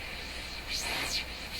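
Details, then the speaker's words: Hammarlund SP-600 receiver after cleaning the band-switch contacts with alcohol-soaked paper to fix noisy tuning: plain even static with a soft sweeping whistle as the dial moves, no crackle or scratching; quiet tuning. "Tuning is quiet."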